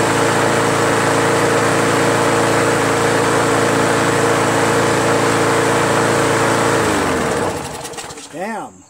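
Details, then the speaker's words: Craftsman push mower with 4.75 Briggs & Stratton Quantum engine after carb seat, gasket, air filter and governor linkage spring work; steady, even note at proper governed speed, where before it was sluggish with RPMs too high, then clean wind-down at shutoff. "good huh sounds great now before I was sluggish and those rpms were high now it's just right"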